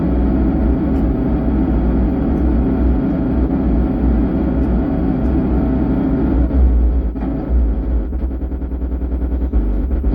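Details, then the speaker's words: 4440 IC dual 100W amplifier board at power-on, even with volume down: heavy low rumble with rough crackling and uneven pops, sound breaking up; amplifier distortion, IC suspected, cause unconfirmed. "आवाज अलग से आ रही है extra आ रही है जो भरभरा की आवाज आ रही है और इसकी ऑडियो बहुत ज्यादा बढ़ गई है जिसके कारण यह आवाज फट रही है"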